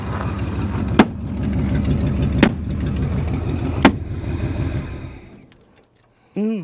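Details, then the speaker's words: 1971 Mustang Mach 1 V8, possibly a Cleveland, revived after sitting over 20 years: runs lumpy and uneven with irregular stumbles, then dies out. The vacuum line is badly deteriorated and too short and is being replaced; cause unconfirmed. "That doesn't sound good, does it? Okay, let me grab a new vacuum line."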